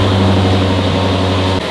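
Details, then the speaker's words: Lexus RC F 5.0 V8, 45,000 miles, idling after an oil change with the engine cover off, checked for leaks: deep, even low hum with a steady beat, no knocks or ticks; smooth, healthy idle, no leaks. "but from pretty much here out, we're just gonna start the car and make sure there's no leaks."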